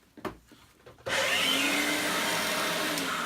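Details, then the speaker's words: Electrolux Turbo 2 vacuum cleaner from the 1980s: the motor spins up to a slightly raspy high whine with bearing rumble. Dry motor bearings that need grease. "this one looks fantastic but the motor the motor definitely needs grease in it is very dry you can hear the bearings"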